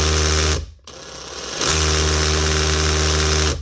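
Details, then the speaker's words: Makita DHP243 SDS hammer drill, before teardown, customer says hammer stops after about 4 holes: two bursts of fast, even hammering over steady motor hum, starting and stopping cleanly; hammer mechanism works normally on test. "Sounds good enough anyway, but he says it works, so I'm going to tick that it means the motor stops."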